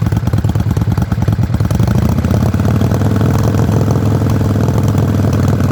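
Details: Yamaha Virago XV535 misfiring at idle, stumbling uneven skipping pulses instead of a steady twin thump; one spark plug heavily carboned, owner suspects carburetor tuning, unconfirmed.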